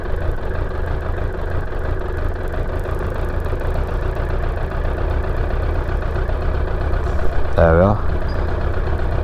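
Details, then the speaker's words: Suzuki Bandit 600 that struggles to idle once the choke is off and keeps cutting out. The engine is hot and the idle screw is being adjusted toward about 1000 rpm. It now holds an even, low idle on its own at about four pulses a second, with a brief rattle near the end. "that's hot that is really hot now that's right is it running on its own are you doing anything aren't you okay that's right"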